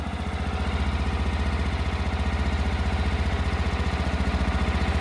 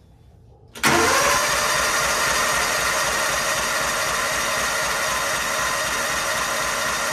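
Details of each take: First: 1999–2000 Kawasaki Mule 550 barn find, unrun 2–3 years, warming up on choke: steady, even putter at about four beats a second with no misses or knocks; normal idle. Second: 1999–2000 Kawasaki Mule 550 barn find, unrun 2–3 years, borrowed battery, on choke: strong, even cranking for ten seconds without firing; owner suspects no spark or no fuel, not confirmed; cranks but will not start.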